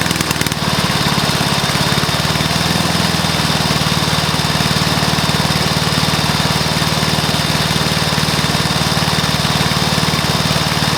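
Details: Early-1984 Briggs & Stratton mower engine, first start after new piston, rings and valves to cure oil consumption from loose rings and worn valves: steady, even single-cylinder beat at constant speed, no misses or knocks; normal running.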